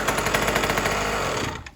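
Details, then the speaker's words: 1980s Cruise N Carry two-stroke outboard that sat about 20 years, first fired outdoors in rain after fuel was sprayed into the cylinder; rapid sharp popping bursts for about 1.5 seconds, then dies away, smoking. It runs. "Ah. Nice. See that smoke? We got it. Oh yeah. All right. She's a runner."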